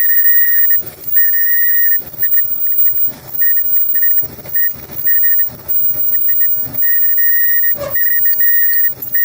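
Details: Front-load dryer running: steady high squeal cutting in and out as the drum turns; traced to the worn front drum slider, which feels hot there; sliders to be replaced.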